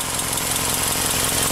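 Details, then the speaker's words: Subaru with a P0420 catalyst code, idling and revved: loud, rapid raspy puffing hiss from an exhaust leak at the header junction ahead of the catalytic converter and O2 sensor. It backfires on letting off. "an exhaust leak right here you hear it when you give it guys it's really loud even backfires if you let off"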